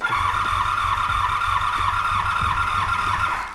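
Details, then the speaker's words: 1985 Honda VF700 Interceptor V4 after a spritz of starting fluid: steady cranking with uneven catches that never pick up into a run, then it winds down; owner suspects empty float bowls and old gummed ethanol fuel, unrun for an unknown time. "No. Okay. All right. So we probably don't have enough fuel in any of the bowls."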